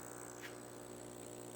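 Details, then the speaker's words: Aquarium air pump after disassembly and noise-dampening modification, reassembled: soft, steady hum with faint airy hiss, no rattle or buzz; slight vibration only when touching the glass table; running quietly. "just air you get a little vibration if you touch it right to the glass table but even then not bad at all that is a lot more bearable than what it was before"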